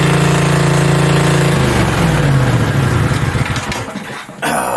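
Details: Mini bike V-twin, a generator engine, first start with belt off and throttle knocked up; fast steady high-pitched drone, then drops off at shutdown; idling way too high, fix is the idle screw underneath needing a screwdriver.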